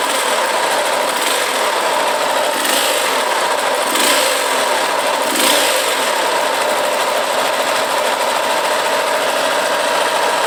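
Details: KSZ motorcycle, around 2002–2003, idling: a harsh, dense whirring rumble over the engine beat; the owner suspects worn bearings and will remove the clutch to separate gearbox bearings from crankshaft, con-rod and cylinder causes.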